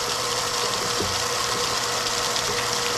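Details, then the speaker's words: Used well pump on a one-inch well point with foot valve at about 34–35 feet, kicking on as pressure drops; steady motor hum with a constant whir and no knocking or grinding, running normally and drawing clean water. "our pressure's dropping pretty quick you hear the pump kicking on you can see it picking up"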